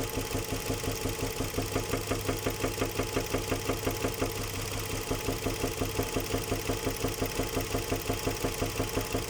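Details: Nissan Murano Z50 engine: sharp, regular deep knock about three beats a second from the bottom end while running, suspected connecting rod knock; finding: engine knock.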